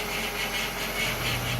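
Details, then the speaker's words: 1998–2002 Honda Accord 4-cylinder running, before replacement, with plenty of fluid: a steady, high-pitched whine over the engine. The power steering pump is bad. "so we start this vehicle you can hear the whining noise the turn of this year we'll hear that pump whining that means power steering pump and bats got plenty of fluid in it the pump is bad"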